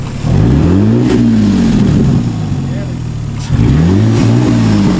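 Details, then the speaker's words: Used engine in parts car, long sitting with old fuel: two clean throttle blips, pitch climbing and falling smoothly, no misses, knocks or rattles; healthy engine revving. "Alright, well it runs. Prove it to you guys here. Show them up front. Show them how healthy it is."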